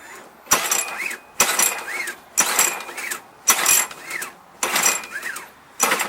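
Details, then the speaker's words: John Deere JS25 mower that hit a stump, owner replaced the flywheel key himself, treated fuel: fast ratcheting pull-start spins about once a second, never catching or firing; a no-start with a sheared or wrongly fitted flywheel key suspected. "This isn't a hard start. This is a no start. This will never start."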